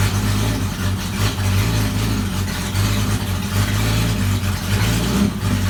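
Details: Jeep XJ after fitting a new pulley and new belt: smooth, even idle with clean revving and no squeal or chirp from the belts; the accessory drive sounds healthy.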